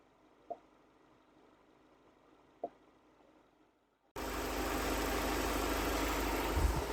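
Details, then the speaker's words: 2011 Ford Escape 2.5L four-cylinder idling in park, which stalls at low speed and idles rough; vacuum hose pulled off the canister purge valve, light clicks then a steady hiss of vacuum through it; purge valve leaking at idle, the stalling cause. "There we go. I don't know if you can hear that, but that valve is leaking."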